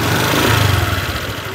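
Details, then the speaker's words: 2021 Honda New Vario 150 FI scooter, main engine center: short throttle burst with slightly coarse, uneven rattling pulse; mechanic says this slightly rough engine sound is common to 2021-onward Vario 150, cause not identified. "teman-teman bisa mendengarkan suara mesin pada motor Vario ini ya teman-teman jadi suaranya sedikit agak kasar sepertinya ngerenyek-ngek seperti itu ya nger nger nger gitu pada saat kita tarik gas ngernya itu cenderung ke reyek ngenyek seperti itu ya teman-teman"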